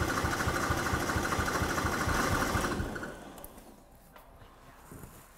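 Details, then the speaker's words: Car sat for years on a farm (possibly under water), first start in a long time on a jumper pack; catches, runs lumpy with stumbling firing, then dies; owner suspects long-idle injectors are clogged and need cleaning, to be bench-tested. "So it's not quite as happy as I was hoping. I'm thinking that the injectors, because they've sat for so long, they're going to need a good clean."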